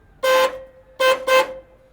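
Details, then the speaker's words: Horn on the car being readied for Red CentreNATS scrutineering, tested after install: three short toots, one alone then a quick pair, clean steady mid-pitched tone with no rasp or warble; horn works, two of the buttons operate it. "uh we also have a horn that works now"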